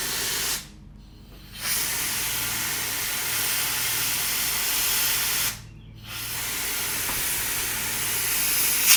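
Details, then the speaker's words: Foxbody Mustang sunroof drain check: strong steady air hiss in two long bursts with short gaps, flowing freely; air heard from all four drain holes, drains clear, not plugged. "Again, don't know where it's coming from, but it sounds like it's moving air. So, I got sound out of all four of the holes."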